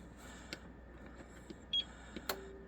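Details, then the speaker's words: APC UPS salvaged from the trash, polarity checked, plugged in and switched on: quiet relay clicks, then a short high beep and a brief tone; normal power-on self-test, now online. "Now we're online. It does a power on test, and I believe when you first plug it in, you turn it on, it does a power on test"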